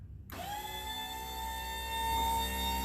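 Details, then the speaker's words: Mini truck's scissor-lift dump bed raised by rocker switch with key on: electric pump starts and holds a steady, slightly rising whine as the bed lifts about two feet above the cab smoothly, no strain or chatter; normal hydraulic pump operation. "up we go see how high it goes look at that scissor lift thing is really working"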